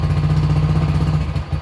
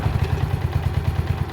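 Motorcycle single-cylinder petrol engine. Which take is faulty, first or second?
first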